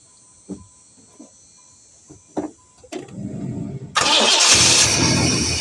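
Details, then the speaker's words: Chevrolet Caprice during head gasket leak repair, battery terminal just reconnected: a few weak uneven cranking bursts, then the engine catches roughly and roars up; hard, rough start, cause not clear. "All right. Definitely don't like the way that sounded."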